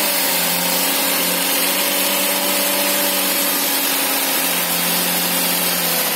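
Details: Daihatsu Ayla first start after water got into the engine, reassembled: engine holds a steady even note, dips and picks back up cleanly without stumbling or misfire, check engine clear; normal revving.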